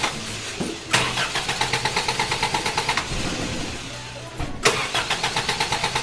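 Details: Toyota Hilux with carburetor and electronic ignition instead of points, after an ignition short: two bursts of steady cranking, about three turns a second, never catching; cranks but won't start, owner suspects loss of switched 12 V to the ignition coil.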